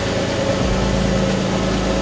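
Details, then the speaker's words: Porsche 911 996 Tiptronic, arrived dead with a gear selector non-start fault, now fixed and running after long cranking: steady, even idle, smooth low hum, no misses or knocks, a bit smoky on one bank, likely raw fuel; normal idle. "And that is what success sounds like. She a bit smoky."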